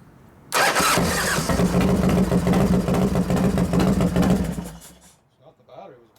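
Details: New 1993 Harley FXR Evo 89ci stroker build, first start using compression releases after starter trouble (suspected relay); starter whirrs briefly, V-twin catches into uneven loping idle about three and a half beats a second, then shuts off.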